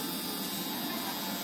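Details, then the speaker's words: Gold standard eyebrow embroidery (microblading) machine with speed control running while stroking ink into skin: steady, even high buzz with no knocking or stumbling; very stable, healthy running. "Nah, ini mesinnya sangat-sangat stabil banget kawan-kawan. Jadi bagus banget masuknya."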